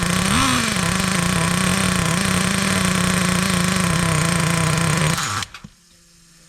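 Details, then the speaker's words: Traxxas T-Maxx nitro RC truck first run after sitting 17 years: steady, slightly blubbery high-revving buzz at one pitch before cutting out, clutch spinning; running very rich and dumping unburnt fuel, needle being leaned out. "all right she is running but man is she dumping some Wicked fuel out a lot of fuel let's lean that out a little bit"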